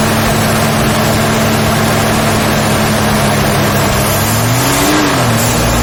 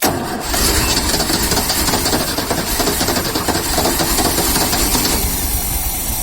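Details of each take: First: Very rare 1972 Ford Falcon XY 4x4 ute, running after being fuelled: quiet, steady even hum with a brief smooth rev near the end, no visible smoke; normal healthy running. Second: 1972 Ford XY Falcon 4x4 ute, very rusty, fuel tipped into the carburetor: starter churns quickly, about three and a half turns a second, stops, cranks again, never catches. Suspected not enough fuel; unconfirmed.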